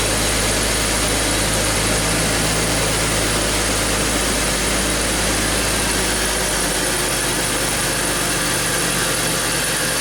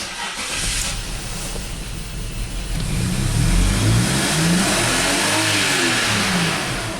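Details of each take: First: BMW X5 with a misfire under diagnosis, scope probes on all six ignition coils and a pressure sensor in the dipstick tube: steady, even low hum with no stumbles or misses; the engine is running smoothly at idle. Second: BMW X5 at wide open throttle, fuel pressure 48 psi at rest, ignition and mass airflow sensor scoped: pitch climbs and holds with a ragged edge; classic lean misfire on cylinders 1, 5, 3 and 6, fuel pressure not the cause.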